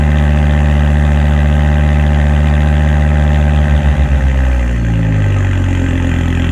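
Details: 2006 Volvo S60R with a new custom stainless cat-back exhaust and temporary blast pipe, no tip yet: deep, steady exhaust burble at idle, revs shift and settle evenly, no misfire or rattle. Normal idle.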